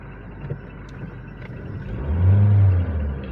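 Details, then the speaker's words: Toyota Vios gen 3 single VVT-i that stalled, backfired and lacked power on acceleration, road-tested after part replacement: engine pulls cleanly from a low rumble into a smooth rising rev with no pops or stumbles; normal acceleration. "Yan road test natin. Good si walang ano e hindi siya pumuputok eh."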